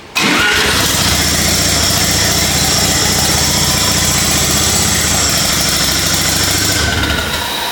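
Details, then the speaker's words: Home-built Lamborghini Diablo replica with 13B turbo rotary swap, restart after timing change, turbo spooling on crank: loud raspy engine catches and runs unsettled; rough running because ignition timing not yet set properly. "yes is that good it sounds like it's running funky it's the timing is doing whatever it wants at the moment"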